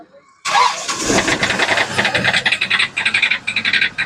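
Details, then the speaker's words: 2013 Hyundai i10 Grand Magna diesel, long parked, just started: runs rough with loud uneven knocks about four or five times a second and hunting, heavy black smoke, check engine light on; engine knocking and hunting. "यह स्थिति है, और ऐसा लग रहा है जैसे engine कभी भी फट सकता है।"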